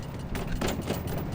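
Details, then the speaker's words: Jeep swing-out rear spare tire carrier shaken by hand: loose metallic clunks and rattles showing typical wiggle, unlike a heavy-duty carrier rated for 37-inch tires. "You can obviously see there's some wiggle on there, a little bit of rattle going on."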